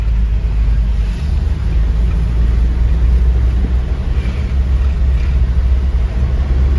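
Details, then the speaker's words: Road test after drag link refit and differential adjusted two holes to stop clunking: even low road rumble, no clunks or metallic grinding; drivetrain now quiet, normal driving. "Kaya tahimik na mga kayabi, oh. Wala nang hinunguya, parang hinunguya na bakal."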